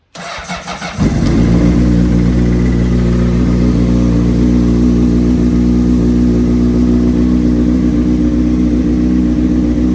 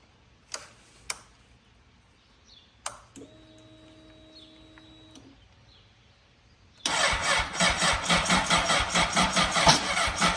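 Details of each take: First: 2003 Honda CBR600RR with a Yoshimura slip-on, sitting about three years, cold-started on a charged jump box. After a brief crank it catches at once and settles into a strong, even fast idle with no hesitation: a healthy start. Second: 2003 Honda CBR600RR, sat about three years, dead battery, jump box not charged: a few clicks, then slow labored starter churning about two beats a second that never catches; slow cranking, no start from weak jump pack.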